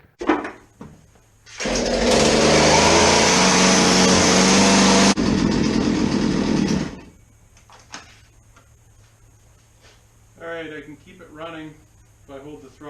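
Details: Small two-stroke chainsaw that would not idle, after draining old gas and turning the low-speed screw out to about 1.5 turns richer: buzzes high and steady about five seconds, then drops away; mixture still seems off, cause not confirmed.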